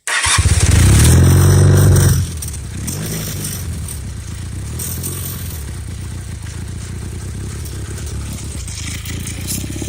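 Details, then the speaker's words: Motorcycle with a leaking right-side carburetor float making that side run super rich, at start-up: loud rev, then a lumpy idle with a fast loose rattle about four beats a second; rattle source not yet found. "some rattling going on somewhere I need to look for."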